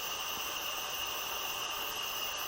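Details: Nissan VQ40DE 4.0L from a 2010 Xterra, 203K miles, on stand, engine not running, leak-down test: steady high airy hiss out the exhaust ports; exhaust valves not fully closing, rear valve worst, possibly debris.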